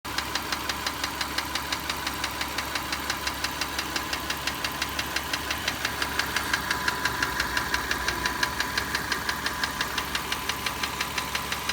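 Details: Car owned about 4 years, 45,000 km driven: steady sharp ticking about four a second that never fades at normal operating temperature; owner doubts piston slap. Some intake and exhaust valve clearances were found slightly loose and adjusted to spec.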